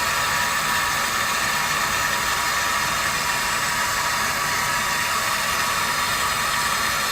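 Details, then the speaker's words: Microphone held close to the water line with no meter installed, about 70 dB on max hold: constant even hiss of water rushing through the pipe, no knocking, chatter or surging; ordinary line flow noise. "there's always noise in in the system there's always noise in the line so let's just let's just put it close to the line because the flow through the system is going to make a little bit of noise"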